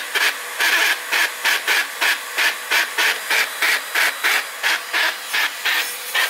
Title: Dibea C17 Portable Vacuum Cleaner rattling noise 2